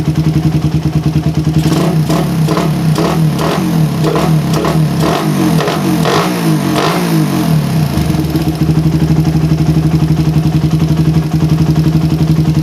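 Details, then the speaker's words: Suzuki Satria FU with PE 28 carburetor, before head nozzle change: single-cylinder idles very stably, then a slight stumble ("ngok") as revs climb from low to mid range; carburetor mixture, nozzle to be replaced. "guys nah ID bisa Bagus banget kayak gini tapi barusan Kalian Dengar dari airp bawah menuju tengahnya jadi ada sedikit ngok sedikit aja ya"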